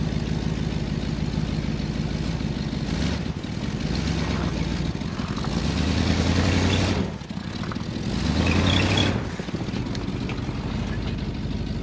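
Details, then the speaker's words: 1978 Ford LTD, still cold after a -10°F start: steady low idle sitting a little fast with brief swells in speed, high cold idle. "well she's free idling a bit high but see if we can go for a quick spin hopefully I don't run out of [Music] gas"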